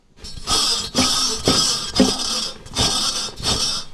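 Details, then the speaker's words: Idler pulley on a 2006 Chevy Silverado with a Vortec 4.8 V8, hand-spun in repeated short whirs with a high, raspy whine from bad bearings. "Yeah, man, that's bad. When y'all hear nee like that, that's the sound it makes. It's making that sound. Bearings are bad."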